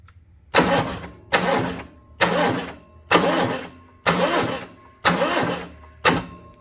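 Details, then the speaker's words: Cummins Onan Marquis Gold 5500 RV generator, sat for years, cranked off a jump pack with makeshift clamps: labored, uneven crank, about one heavy burst per second, no firing; weak cranking, owner suspects a dead jump pack, possibly needs a control board. "Well, guys, I think my battery in my jump pack is a little dead, so I'm going to have to charge it."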